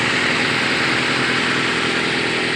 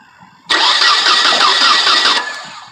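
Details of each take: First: 1996/1997 Nissan Altima after replacing bad distributor rotor on crank no-start: started first try, smooth steady run with no misses, knocks or surging; normal running, fix confirmed. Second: Nissan Altima with crank no start after refuelling, no spark found: brief cranking under two seconds with no firing, rotor possibly not spinning; bad distributor rotor.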